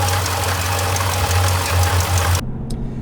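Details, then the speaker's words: Jeep Grand Cherokee SRT (WK2) engine running with loose marbles-like rattle over idle, pulley wobbling and coolant spraying out; failed water pump bearing. Owner warns temperature spiking over 221 or coolant odor signals it. "You could hear what sounded like marbles or ball bearings inside, and you could see that the pulley was literally shaking back and forth, and a little tiny mist of coolant was coming out."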